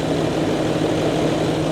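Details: Range Rover L322 3.6 TDV8 diesel idling after a genuine OEM fuel filter replaced a leaking aftermarket one, no new drips seen; steady even idle with no misses, knocks or hunting, normal idle.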